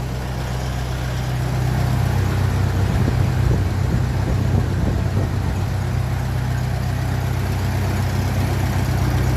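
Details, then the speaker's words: 1957 Ferguson 35 TVO tractor idling while warming up on petrol, with rocker shaft replaced and valve clearances just reset after inlet clearances had grown large; deep, steady idle, only faintest top-end tappet tick; normal idle. "TA it sound it's fairly minimal there at the moment and as I said at least twice before in these videos after I set the Val cleance if it keeps sounding the way it sounds I'd be very happy"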